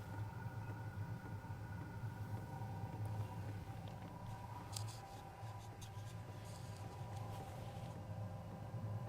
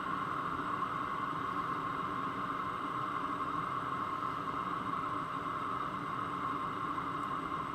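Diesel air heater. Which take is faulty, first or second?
first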